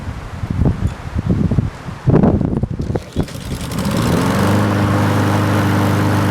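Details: 4-stroke carbureted lawn mower single cylinder, after Sea Foam fuel treatment, intake spray and 10-minute hot soak, briefly started: after handling clatter it settles into a steady, even drone with no misses or surging; normal running.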